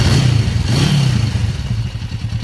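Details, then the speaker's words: 1994 Kawasaki Vulcan 500, 12,266 miles, second start in three years, after oil and filter change, air breather clean: steady, even low twin thump at idle with some mechanical clatter, noisy but idling well; normal idle. "i think that sounds good it's idling really good i've already been in the air breather everything is clean inside there so um we'll see noisy little engine though compared to a bold one yeah"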